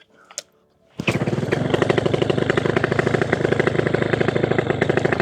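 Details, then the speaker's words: Minari 200cc paramotor (PPG) with a Walbro 37 carburetor, just after carb adjustment, heard from the propeller side: fires at once after a short pull and settles to a quick, even popping idle. Normal idle, starts without problem. "widzicie, silnik odpala bez problemu."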